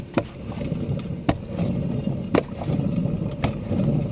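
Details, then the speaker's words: Chrysler Town and Country / Dodge Grand Caravan, raised wheel spun by hand: rough, gritty rumble with a click about once a second plus noticeable wheel play; worn wheel hub bearing, which roars when driving. "should not sound like that should not sound like it that should be just as smooth as you could get"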